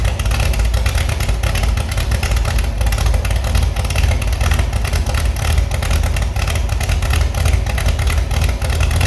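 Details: Restored Chevy SS straight-six after lowering the fuel level: steady, rapid exhaust pulses with crisp response and no ticking or clatter; running healthy.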